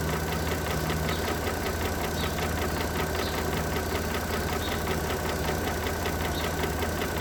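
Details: 2009 Mercedes W211 3.5 engine: steady idle with faint knock about once a second over engine hum; engine knock at idle, cause not confirmed.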